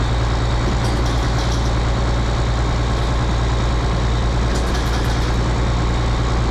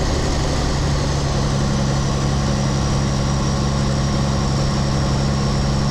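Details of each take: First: Rebuilt 8.3 Cummins diesel in a Case IH 2366 combine, straight pipe, first run after rod failure repair: deep steady drone, even beat, no knocking or stumbling; choppy at first, now smooth. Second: Rebuilt 8.3 Cummins diesel in a Case IH 2366 combine on first start, straight pipe: slightly uneven choppy idle at first, settling into a steadier low thrum.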